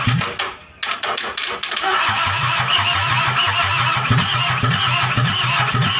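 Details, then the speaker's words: Toyota Kijang 2L diesel just rebuilt after burning oil, injection pump timing at the zero/standard mark, started after glow-plug heating: cranks unevenly for about two seconds, then catches into a steady clattering idle. Hard starting, attributed to the fresh overhaul. "oke udah hidup ya Lur tapi untuk hidup awalnya itu susah karena Emang mesinnya baru overhaul"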